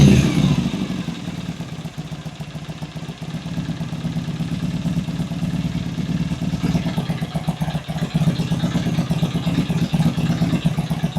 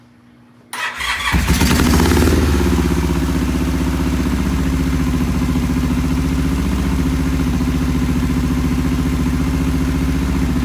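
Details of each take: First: Vintage British motorcycle twin (V13 gold bike) at first start after cleaning the pilot jets, previously idled poorly: it settles into a steady, even idle with a light blip of revs near the end, no stumbling; idles healthily. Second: Vintage British twin, first start, choke off, timing just set: catches and settles into a low, loping, uneven idle; poor idle from clogged pilot jets.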